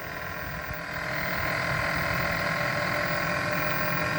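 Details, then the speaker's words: First-gen Kia Soul EV heat pump under repair: steady, smooth mid-pitched hum from the front, no knocks or rattles; compressor running normally and already warming. "that's a heat pump compressor so that's what it's supposed to sound like so it's already warming here"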